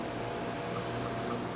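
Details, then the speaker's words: Arno fan motor running with a steady rough hum and faint rubbing chirp, losing power and smelling burnt: worn sleeve bushing and shaft; to be adapted to a ball bearing. "Tá vendo esse barulho do motor? Tá vendo tudo emendado aqui já também, ó. Esse aqui vai ser defeito de bucha e de eixo que gastou."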